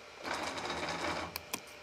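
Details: Sculpfun S9 laser engraver X-axis stepper diagnostic for support: short burst of buzzy, rough stepping instead of smooth whir, then sharp clicks, while Y jogs fine; X-axis judder, cause suspected not confirmed (motor later tests okay after wire swap).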